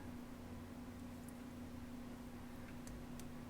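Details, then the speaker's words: Replacement 40mm, 1cm-thick fan fitted to a Mega ST2 on a bent metal mount, test-powered by poking in the red and black wires: steady faint low hum with soft whir, no ticking or rattle; very slight breeze, draws 195 mA. "That's going alright. Let's see if I can feel. The breeze is so slight, it uses 195 milliamps."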